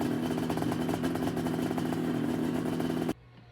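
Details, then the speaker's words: Snowmobile two-stroke running with a known-good CDI while warming up: crisp, even buzz at steady revs before cutting off cleanly. Healthy running before a test CDI, which proved dead. "So I'm gonna go ahead, get this thing fired up with my known good CDI, get a little heat in it, and then we're gonna throw this CDI on and see if it'll still start. That sound never gets old."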